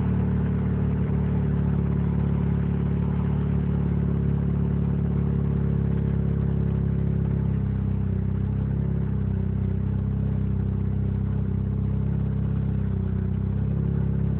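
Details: Mazda RX-7 with 20B three-rotor rotary engine at idle: deep, lumpy burble whose beat drifts and wavers instead of holding steady, a rough, weird idle.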